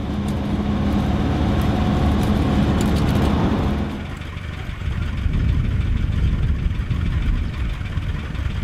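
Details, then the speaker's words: Rare Series 1 Land Rover old petrol engine pulling unevenly on the road, low drone stumbling and lumpy under load, losing power: misfiring. "so I've managed to sort of rig it so the vehicle still keeps going but as you can probably hear it's been misfiring quite a bit today"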